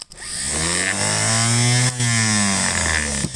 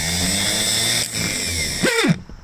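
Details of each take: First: 1957 Gravely L starter after a quick repair, tested on the bench: smooth whirring whine winds up, holds steady, coasts down, quieter and faster than before with no drag or scraping; normal starter spin. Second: Spare starter for a 1957 Gravely L1 tractor run on the bench: rough gravelly growl under the whine, then winds down; suspected worn front armature-shaft bushing.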